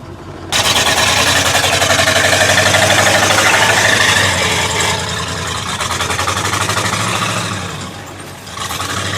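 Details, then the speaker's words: Ford truck engine revving during mud off-roading in 2WD and 4x4: a quick regular ticking follows engine speed as the radiator fan blades hit the shroud. "Hey, I think the radiator fan is hitting the shroud. Yeah, I can hear that. We gotta fix that."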